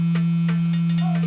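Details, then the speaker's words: Aquafresh Extreme Clean Interdental Power battery toothbrush, held close to the microphone: soft, steady low buzz at one even pitch from the head vibrating; normal. "It's making a soft buzzing noise. I'll try and hold it close to the camera and the microphone so you can hear the buzzing. That buzzing is vibrations."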